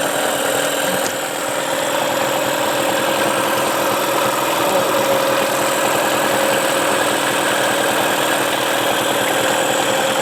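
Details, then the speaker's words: Tracker by Mercury Marine 9.9 HP outboard back running after sitting unused for a year and being hard to start: even, steady buzz with constant tone, no stumbles or knocking; running normally. "well that's it folks we got the tracker by Mercury Marine back in business"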